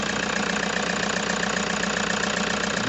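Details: Toyota HiAce diesel at idle with a sharp, steady internal knock a few times per second over the rumble, plus vibration and excessive white smoke; a mechanic recommended an engine overhaul.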